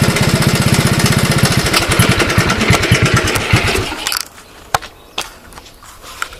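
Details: Honda ATC185 with a new right-angle air filter: even, steady single-cylinder putter at about three beats per second for four seconds, then the engine stops; it sounds healthy.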